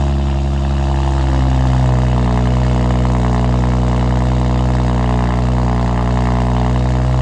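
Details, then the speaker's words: Built BMW 335xi just after new OEM valve cover and gasket fitted, fuel rail and wiring harness reinstalled: steady even idle, smooth low hum, no knocks, misses or ticks; sounds like it's running pretty good, test drive next. "all right well sounds like she's running pretty good so we'll take her out for a little drive make sure she's good"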